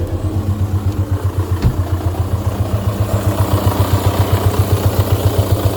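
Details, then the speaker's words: VW 1.9 TDI PD, never serviced, overfilled by 2–3 litres of oil: diesel idle in a lumpy uneven beat, about four throbs a second with clatter on top; rough running, before camshaft and buckets replacement. "I will just fire it up again so you can just hear how rough how rough she actually is on this fine Saturday morning"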